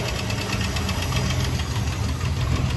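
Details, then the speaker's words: 1970 International Scout warming up with no exhaust and the muffler missing: rough open-exhaust idle with a quick, even light tick keeping time with engine speed, owner hopes it is valve train; ticking at idle. "all right so you can hear it it's got a what i'm hoping is a valve train tick at some point i do i think i'm going to pull the valve cover and just check it out"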